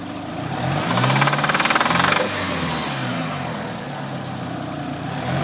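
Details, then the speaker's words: Talon at low idle: uneven idle with a rapid rhythmic knock about four a second, loudest briefly early on, hard to hear while driving; owner suspects rod knock, not confirmed. "but you can't really hear it when you're driving, but I'm sure you'll hear it now."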